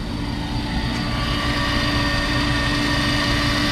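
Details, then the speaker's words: Car making about 1800 whp, fuel pump newly vibration-isolated after being very loud before: steady, even engine run with one faint constant tone; fuel pump and transmission cooler quiet, no vibration. "no vibration I'm not loud noise from the fuel pump and then the transmission cooler also really quiet right now no vibration whatsoever really really happy with the outcome let's see about that can barely hear it"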